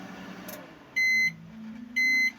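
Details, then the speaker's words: Microwave repaired for not heating, started on express with water inside, magnetron working and water heats: two sharp beeps over a low steady hum as heating begins, no crackle or arcing; normal operation. "Yan, mga ka-repairman, no? So, gumagana na po yung compressor. Gumagana na po yung ano niya, no? Magnetron plug."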